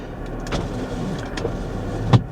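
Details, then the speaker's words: Used minivan with about 200,000 miles, inspected at auction: a short whir of the power window motor and a soft clunk as the glass stops, no grinding or straining; normal power window operation, all windows work. "all of the windows work radio works"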